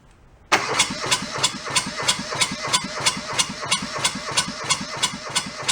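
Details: Junked small Kubota diesel from a scrapyard, cranked with throttle lever fully open: about three even compression pulses a second, no firing or pickup; they suspect air being sucked in along the fuel hose, unconfirmed.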